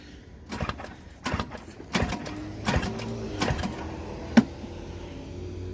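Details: Craftsman snowblower with electric start, primed, at auction: several short starter cranking bursts with pauses and no catch; turns over but doesn't fire yet, choke then applied and gas smelled.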